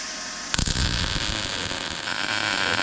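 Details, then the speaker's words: Normal MIG weld arc on a T-joint fillet, wire snipped for a clean start and nozzle resting on the material. The arc strikes sharply, then holds a steady even frying crackle without pops. "We're gonna snip our wire for a clean start. You're gonna start, it's okay to start with your nozzle right on the material. It's still gonna weld the same."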